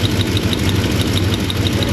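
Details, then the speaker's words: Lincoln MKZ at idle with a misfire: steady loping stumble about six beats a second with light ticking. Spark is good; injectors sound fine on the stethoscope, though the number two injector (cylinder 3) sounds slightly odd. A faulty fuel injector is suspected. "it's so strange that the injectors sound really good in the stethoscope um if anything the number two injector sounds a little odd uh which is technically cylinder 3"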